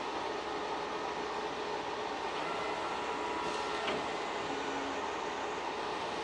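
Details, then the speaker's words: K40 laser cutter Y-axis gantry after removing it and adjusting the belts, previously making a knarking or cracking noise: steady smooth whir with light even hiss, no cracking or knocking; normal gantry motion after the fix. "yeah it sounds much better it honestly do absolutely sounds great wow"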